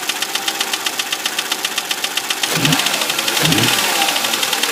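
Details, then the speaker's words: 2005 Audi A6 C6 with 2.4 BDW engine, at idle: fast ticking knock about four per second that persists after restart; internal engine knock, previous owner claimed hydraulic lifters but it proved worse, cause unconfirmed. "Audi A6, кузов C6, 2005 год. Стучит двигатель."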